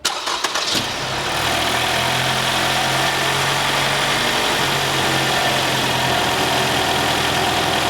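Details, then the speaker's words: 2017 Lexus NX200t turbo at 66,000 miles, oil unchanged until 46,000 miles, burning heavy oil after turbo trouble: after cranking, a clattery, uneven idle with a hollow rattling beat. Worn pistons slapping. "this I hope it is clear in the video that that engine does not sound healthy at all"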